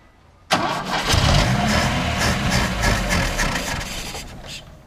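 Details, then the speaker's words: Chevrolet Chevette parked 26 years, fitted with a new battery: the engine cranks, then catches roughly with an uneven, surging beat that fades out on its first start; cranking and rough first start. "um bom sinal Oi e o ronco tá doidinha"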